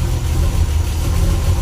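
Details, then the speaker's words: Ford Cortina MK5 LDV pickup, rebuilt 3.0 V6 with gas-flowed cylinder heads, high-compression pistons, balancing, branches and twin exhaust, at start-up: deep, lumpy, loping rough idle typical of a hot performance build. "I'm going to give it a start up now you can hear a nicer sound the idle won't be normal little bit of a rough"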